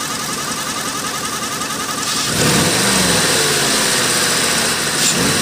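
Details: Oldsmobile Aurora 4.0 idling: steady high whine over ticking, then a rev blip; suspected water pump whine and exhaust leak.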